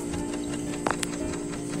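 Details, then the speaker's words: A refrigerator that over-freezes at the top and does not cool below makes an annoying tick-tock at night. A steady, quick clock-like ticking sounds over a low hum. The defrost timer appears stuck, so the defrost cycle never engages. "me dice que está haciendo un ruido muy molesto en la noche ya cuando todos se van todos se apagan queda siendo un tic tac el refrigerador"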